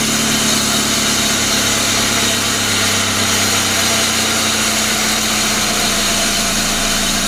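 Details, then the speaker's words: 1999 Pontiac Grand Am, rebuilt GM LD9 2.4 Quad 4, first start-up after rebuild: constant rough gritty grinding over unchanging idle from the worn AC compressor clutch on the serpentine belt drive. "all right let's let's see if she'll fire up here so so so this other ac compressor clutch making some noise so"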